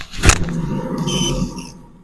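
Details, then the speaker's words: Renault Mégane 1 rear wheel, drum-mounted bearing, wheel spun by hand: thump then low droning "ouh" hum fading as it slows, beyond normal brake lining rub; bearing dead though no play, other side only slightly singing, to be replaced. "Par contre lui il est vraiment mort. Alors il est pas mort au point d'avoir du jeu en haut et en bas, tu vois, mais par contre quand je fais tourner, alors je sais pas si tu vas l'entendre, tu vois, ça fait ouh comme"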